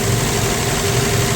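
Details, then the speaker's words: 1965 Plymouth Valiant 100, slant six, 3-speed, first start in years, slight smoke, oil light not working: steady, even idle with a smooth low drone and no misses or knocks; idling nicely. "That's idling nice."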